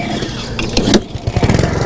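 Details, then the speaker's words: Push mower, single-cylinder engine: speed swells and drops instead of holding steady, so it cannot reach enough rpm. Governor seen surging back and forth; slack governor spring. Governor surging. "what you're hearing here is surging this is a lot of times what we're going to hear on these push mowers"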